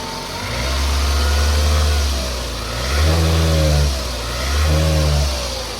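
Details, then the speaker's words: 2002 Toyota RAV4, front-wheel drive, started right after an oil change (the old oil had about 3,000–4,000 miles on it). It catches and settles into a steady, even idle with clean throttle blips and no knocks or ticks; normal idle. "Sounds good, guys."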